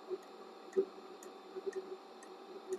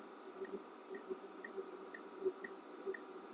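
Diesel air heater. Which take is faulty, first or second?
second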